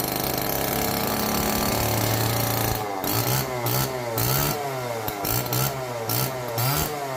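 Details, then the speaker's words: Old neglected Homelite chainsaw, previously seized and left outdoors, first start on fresh race-fuel mix without bar and chain: buzzy two-stroke note holding steady, blipping up and down with throttle cleanly; running healthy. "I guess next thing to do is get a bar on it a chain and see what it does actually sounds really healthy good news"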